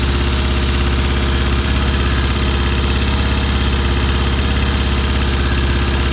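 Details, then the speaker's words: Vintage British motorcycle at first start, with throttle tension fully released, idle screws fully out and ignition timing checked: fast, even idle at about 2,000 rpm, clearly above normal tickover; cause unknown. "all right I've done the first start the bike is idling at 2,000 rpm I have completely released all the tension on the throttle"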